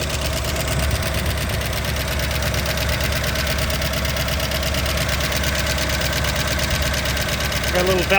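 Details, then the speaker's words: 1963 Ford Galaxie 500 convertible barn find, 289 V8, first start in 30 years: fast, regular ticking over a rough idle, keeping time with engine speed. Valve train ticking; owner hopes lifters are just stuck and may try automatic transmission fluid. "train noise I might see if I can run a little automatic transmission fluid or something to free up those hopefully that's just stuck"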